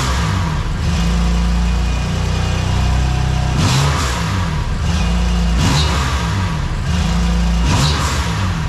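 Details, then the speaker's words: BMW M2 Competition (F87) after a Nürburgring track day: steady drone with sharp metallic chirps about every two seconds once boost builds. Owner suspects a turbo wheel rubbing its housing or damaged bearings, possibly in both turbos; unconfirmed. Car driven very gently since. "sobald die eben anfangen ein bisschen Ladedruck zu erzeugen schleift vielleicht das turborad irgendwo am Gehäuse oder sowas oder es ist die Lagerung beschädigt worden ich weiß es nicht es ist auch ein sehr komisches Geräusch"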